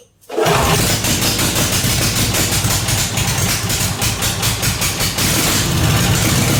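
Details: Briggs & Stratton 16 hp 479cc Vanguard V-twin in an off-road go-kart, straight-piped, after carburetor deep-cleaned: catches after short crank, settles into loud even steady idle, no misses; runs really good, slight oil on header.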